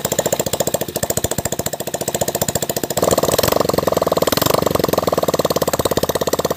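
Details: Hero Splendor single-cylinder after full engine rebuild, oil pump serviced and gasketed, clutch refitted, first start; even steady idle thumping, slight rise on throttle blip, regular firing. Normal idle.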